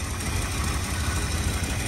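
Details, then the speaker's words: 1969 Dodge Dart Swinger 340 V8 running for the first time in about 20 years after reliability work: oil pressure up, alternator charging; steady, even low idle with no knocks or ticks, quiet. Thermostat opened soon after, and an oil leak was seen. "doesn't sound like much right now nice and quiet sleeper you know"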